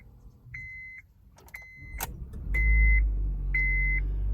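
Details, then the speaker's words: 2008 Honda Civic Hybrid on a cold start after top engine mount replacement: chime beeps, then the engine catches and settles into a smooth, even idle with no buzz, hum or shake. "no weird vibration no weird sound no vibration in the mirror no vibration over here it's smoother"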